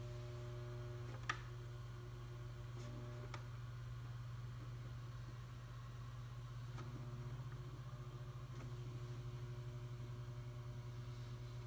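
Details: Synology DS916+ NAS with a steady low droning hum from hard disks vibrating in their screw-less plastic carriers; the noise stops when the chassis is pressed and was later cured by Velcro padding between disks, carriers and chassis.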